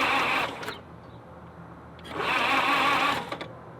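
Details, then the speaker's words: 1948 Willys Jeep engine that died after 1,300 miles, cranked after oil pan work and a fresh oil change: two bursts of fast, light, even starter whirring with no compression beats and no firing. Lost compression is suspected, not yet tested. "It doesn't sound like there's any compression. I know. We should get a compression tester and confirm."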